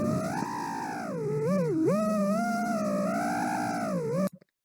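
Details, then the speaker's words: FPV drone in flight: high buzzy motor whine wobbling in pitch with a rough fluttering edge, not vibration but D-term oscillation from PIDs overreacting; it can burn out a motor within 10–15 seconds. "that's not a vibration that is a d-term oscillation to pids overreacting bad bad stuff"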